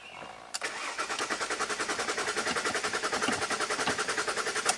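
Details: 2005 Jaguar S-Type 3.0 V6, about 165,000 miles, sat 3 years, fresh battery: steady starter cranking about three and a half beats a second for four seconds, never fires; suspected fuel pressure problem.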